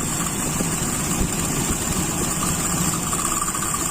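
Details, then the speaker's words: Toyota Kijang with Aisan carburetor during idle mixture adjustment: with mixture screw closed further, rough uneven idle stumbling and about to die; lean idle mixture. "Coba saya tutup. Nah ini mau mati."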